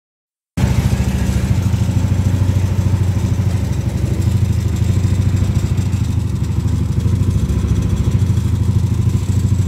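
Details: Yamaha Aerox scooter at idle: rough rhythmic scraping chatter over engine, worse at idle than high revs; pulley rubbing CVT cover from misfitted aftermarket ring added beyond spec.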